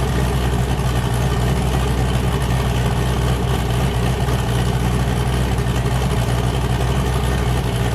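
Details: "James Brown" boosted V8 with a new cam, started and warming up after an earlier 23 psi run blew the coupler off: loud, lumpy idle chopping hard at about four pulses a second, all cylinders firing; healthy big-cam idle.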